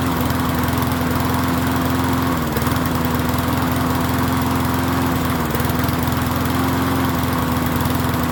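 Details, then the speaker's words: MTD 22-inch push mower 11-A084E029: the small single-cylinder holds a steady, fairly even run with two brief dips, yet the plug wire was found unhooked; running with plug wire disconnected. "I don't have The Spar plug hooked up look I don't have the car CL hook that block I didn't hook this park plug [Laughter] up"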